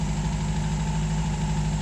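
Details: 1951 MG TD back home after a hot drive, treated for vapor lock with a heat shield, cleaned carbs and ethanol-free gasoline; a steady, even low idle with a smooth, unbroken pulse and no stumbles or misses. Normal idle.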